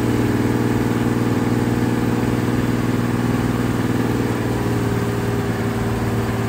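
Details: Carbureted car after fuel pressure regulator work and turning the idle screw down from too-high idle: smooth, even idle with a steady low beat, no hunting, dips or misses; healthy idle.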